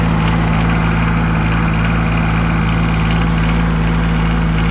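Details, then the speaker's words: Yanmar 3TNV70 three-cylinder diesel in a Cat 300.9 / WN 803 excavator idles steady and even with no sharp injector knock, much quieter after replacing injectors and glowplugs. It still smokes a lot, and the oil source is unknown. "Much quieter. Still a lot of smoke. But I'm not sure where the oil is coming from."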